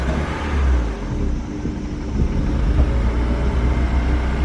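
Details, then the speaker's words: Honda that a Honda dealership failed to fix: deep, uneven exhaust drone surging and sagging as it revs, running terribly; cause not yet determined. "the Honda dealership I already told you that story and there it is runs terrible you can hear it from me just do this again"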